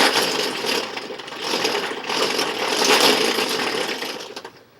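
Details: Can crusher test run after fitting new stainless steel axles and pillow block bearings filled with white lithium grease with Teflon: busy, even mechanical clatter at a steady pace with no grinding or knocking, slight run-out visible; running normally.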